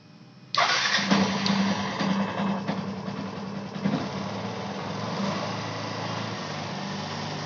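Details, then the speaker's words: Yamaha FZ Fi BS6 starting after the injector was refitted and a dangling bank angle sensor, which caused the check-engine light and no-start, was fixed: fires on first starter push and settles into a steady, even idle. "जैसे की आप देख का रहे होंगे गाड़ी हमारी start हो चुकी है"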